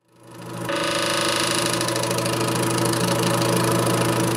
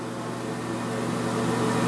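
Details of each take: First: Air King bathroom exhaust fan hums steadily with a fast, buzzing rattle of about four scrapes a second as the blower wheel rubs the housing; fixed by replacing the blower wheel and/or motor. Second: Air King bathroom exhaust fan after repair (blower wheel/motor serviced to cure a rattle), cover back on: steady low motor hum with soft even airflow, running smoothly and quietly.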